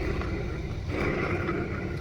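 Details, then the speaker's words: Window AC fan motor removed and run on the bench: rough, gritty rumble under an uneven whirring hum from failed bearings with balls missing; fix is replacing the bearings. "देखिए, इसे देखिए। तो, window AC की motor इस तरह की आवाज करती है।"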